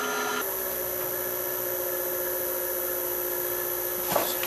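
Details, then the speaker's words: South Bend lathe motor on an FM50 VFD set to half speed, about half of 1730 rpm: a smooth, even hum with a steady electronic whine and no roughness, running normally. "that's half speed so that should be half of 1730 there"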